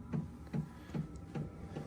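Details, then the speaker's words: Diesel heater retrofitted in place of the furnace in a truck camper, heard indoors: soft, evenly spaced fuel pump ticks about 2.5 per second, normal and not very loud. "It's actually not very loud that fuel pump. I I know I can quiet it down by putting it in a box, which I might do, but it's really not bothering me."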